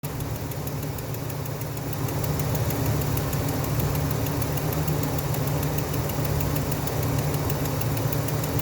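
Steady idle with a light, fairly quick ticking riding over it, about four per second; source not pinned down, needs closer listening.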